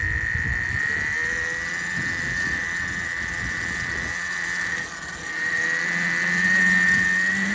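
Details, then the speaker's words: DB17 LR 72V electric bike with newly fitted Kelly KBX72121X programmable controller, no controller faults, test ride: steady high whine over coarse uneven growl at low speed, dislikes starting from a stop; owner suspects false-positive hall sensor combination. "I don't have any faults on the controller it seems very rough you hear it it doesn't like starting from a stop"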